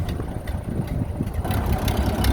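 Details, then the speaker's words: Old flathead engine dated May 1931, reinstalled after sitting 40+ years in a garage: a deep, loping low idle with steady firing pulses and no knocks or misses. Normal idle. "finally out 40 years out and running"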